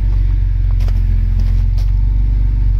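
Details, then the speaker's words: Irmscher-kitted Vauxhall Senator CD 3.0 24V straight six, parked since August for cutting out and running poorly, after running several minutes on a winter day: steady even low idle with no dips or stumbles; no longer cutting out. "it's not cutting out anymore"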